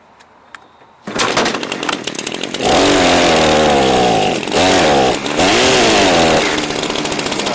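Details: Redmax CHTZ2460L two-stroke hedge trimmer, new fuel filter and spark plug, dirty air filter; revs high then sags and stumbles on each throttle squeeze: bogging under load from faulty carburetor.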